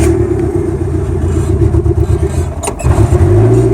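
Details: Carbureted car with mechanical fuel pump and HHO system switched on with key, started in summer without choke and no throttle: fast, steady, even idle without stumbling; normal idle.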